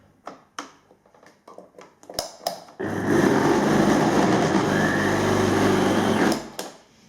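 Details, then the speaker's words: Philips vacuum cleaner runs briefly with a heavy, rough low hum under the airflow rush, shaking enough to make the lights flicker. On disassembly the motor bearings were found failed, with some balls fallen out of their race. "все дрожит аж свет моргает мне кажется это сдох двигатель"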